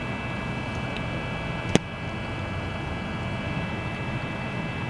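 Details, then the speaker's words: Mercedes ML320 electric box cooling fan that was not working (ESP light on), powered directly by jumping relay 19: faint, steady, even whirring hum as the fan motor runs smoothly; fan running normally. "you can hear the motor is blowing."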